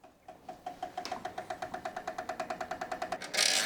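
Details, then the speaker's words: Lian Li B4 mATX PC case after moving the AIO fans to the side as intake. Sharp, even ticking about eight per second as the fan spins up: a fan blade hits the GPU anti-sag bracket, suspected to be from fans too thick. "So it turns out it's actually touching the anti-sag bracket. That's what's making that noise."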